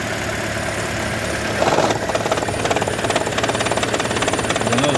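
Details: 2012 Toyota Prius engine at steady running: harsh rattle about three and a half times a second over the engine hum, intermittent, stops when the engine is off; cause unknown.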